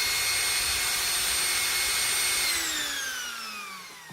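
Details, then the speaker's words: Philips hand mixer, after maintenance with grease, at full speed: high, steady motor whine that winds down smoothly when switched off, with no grinding or rattle; healthy, expected to last another 20 years. "this is perfect and it will work again for some 20 years to come"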